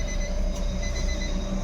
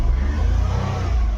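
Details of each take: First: Nissan Micra petrol automatic that won't start and, when it does, won't rev; it cranks steadily but never fires. The fuel line test shows no petrol delivered. Crank, no start from a failed fuel pump. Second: Nissan Micra petrol automatic after the fuel pump assembly was replaced: it now starts and revs cleanly with an even rumble and no misfire. Check light is on, likely from the earlier extended cranking. Normal revving.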